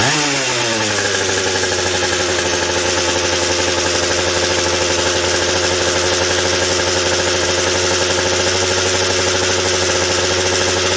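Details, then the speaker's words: McCulloch 790 chainsaw with a McCulloch MC101 kart engine, a new header and pipe, and a 3D-printed carb adaptor and intake gasket, at first fire-up: it snaps up to a steady screaming pitch without four-stroking; the carb can't feed enough fuel at high speed. "not quite the high speed response is lacking still and it isn't it just isn't able to feed enough at the high speed to just hit that four stroke note to where i can back it off"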